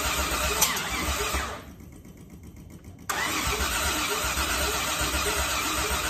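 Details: Crown cranking on the starter at about four beats a second, dropping off and resuming without catching: cranks but won't start.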